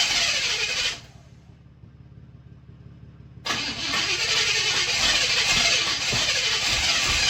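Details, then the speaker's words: 1979 Buick Regal after a tune-up with new spark plugs and plug wires: cranking gives way to a rough, uneven catch with a sharp backfire pop. The cause is unconfirmed, though the plug wires were rewired afterward and it then ran well. "and that guys is what we call a backfire caught it just in time"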